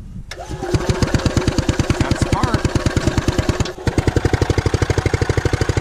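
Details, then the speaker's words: Columbia ParCar gas golf cart sitting for years, has compression: steady cranking about three chugs a second with brief stumble but never catches; fuel starvation, clogged and ruptured fuel line/filter found. "so i found part of our problem uh it's clogged so we're gonna get some uh compressed air and uh we'll see what happens there"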